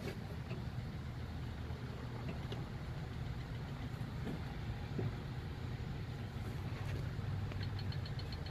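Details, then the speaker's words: Steady low idle with a light, quick ticking riding on top, like excess valve clearance; checking tappets, number 7 fine, number 2 feels really loose. "ooh, number 2 is really loose. Feels like it anyways."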